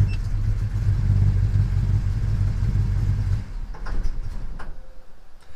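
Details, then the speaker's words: 1977 Chevy C10 engine dieseling after shutoff: it was idling at 850–900 rpm with the AC just switched off, then kept rumbling about three seconds before sputtering out. Run-on length varies; commenters suspect the wrong spark plugs, unconfirmed. "it is running on just a little bit sometimes it runs longer than others"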